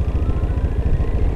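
Even low thump about twelve times a second, steady and unhurried with no misses or rattles, a healthy single-cylinder scooter idling.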